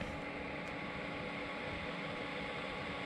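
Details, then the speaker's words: HappRun LED projector running with Fire Stick via HDMI: steady airy whoosh with faint constant hum, no rattles; cooling fan is a little loud and one side (likely exhaust) gets warm while intake side stays cool. "is a little loud, and I can tell you it is getting a little warm here."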